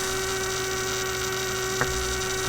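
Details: Steady low buzzy hum throughout from a 1967 Heathkit Electronic Projects Kit AM transmitter build; the noise continued with the circuit disconnected, proving the bench power supply was producing the hum.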